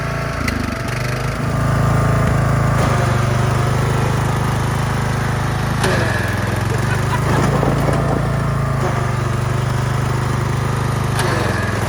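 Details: Craftsman LT1000 yard tractor after new battery, tune-up, spark plug, fuel lines, oil change and belts, ridden down ramp: small single-cylinder engine holds a steady low drone under way, only handling clatter around it; running healthy.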